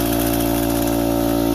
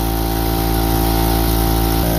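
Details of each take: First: Central Pneumatic (Harbor Freight) air compressor before top-end rebuild: steady even pumping drone running a long time, struggling past 30 psi and barely reaching 40; worn valve plate. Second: Harbor Freight Central Pneumatic air compressor after a top-end rebuild: steady, clean motor hum with a regular pumping beat and no knocking. It previously stuck at 35-40 psi making weird noises; now it rises straight to cut-off pressure and shuts off normally.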